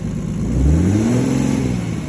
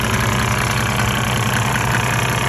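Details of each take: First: Mercedes OM606 diesel after Liqui Moly Diesel Purge and Power Service Diesel Kleen cleaning: revs cleanly with rising pitch and returns to idle smoother, no stumble, clatter or smoke; normal revving. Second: 1998 Mercedes-Benz E300 OM606 diesel, 185,000 miles, hot, at 9,000 ft, before Diesel Purge, smoking: irregular knock of about 2.5 beats per second over a lumpy low drone; rough idle, owner suspects injectors.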